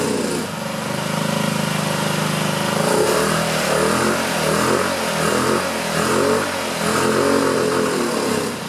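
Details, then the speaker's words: 2009 Honda Metropolitan scooter, new carburetor, after carb cleaner sprayed in: small engine revs unevenly, surging and sagging instead of climbing with throttle; suspected clog in the carburetor. "It's doing a little better. I might have to take the carburetor off. I hope not. But it seems like there's some clog in the carburetor. Something's not quite right there."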